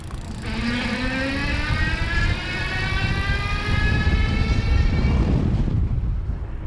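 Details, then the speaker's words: E-Lux Malibu Sport cruiser e-bike, Dapu geared hub motor on throttle only, riding outdoors in wind: a light rising electric zing from the geared motor under throttle, with wind rumbling underneath; normal, not too loud. "you can hear a little bit of a zing there just cuz it is a geared motor but you know not too bad especially with the wind and the breeze here"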